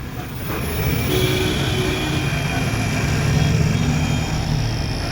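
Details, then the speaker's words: E-rickshaw that was jerking and making a kat-kat noise, hub motor refitted and tightened (five bolts in, one still missing), run at full throttle: even whirring, steady low hum, no cutting or knocking; normal motor run. "तो motor हमारा देखिए tight हो चुका है। बाकी bolt हम बाद में टाइट करेंगे। तो उससे पहले आपको हम चला के चेक कराते हैं।"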